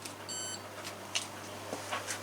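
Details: Washing machine on spin-only test, not plumbed in: short high electronic beeps over a faint hum flagging an E9 error; audibly sparky worn motor brushes suspected, or the board; brushes to be replaced.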